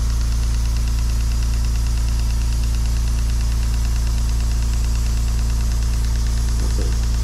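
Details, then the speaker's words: Stuart 10V model steam engine on its first trial run on compressed air, chuffing evenly at about two beats a second with a loud steady hiss; steam chest gaskets leaking badly, compressor hum in background. "It is alive, but we got a hell of a leak here."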